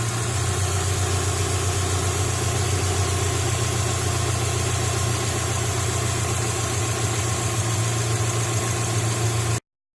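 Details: Subaru Outback after AC belt and idler pulley replacement: steady, even petrol idle with a low hum and no squeal, chirp or rattle from the belt drive.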